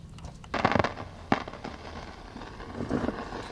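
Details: Likely late-1950s West German Grundig Majestic 3035 valve radio on broadcast band before repair: irregular crackly bursts and pops through the speaker instead of clean audio from a shorting EL84 (6BQ5) output valve; silver mica disease also wondered about.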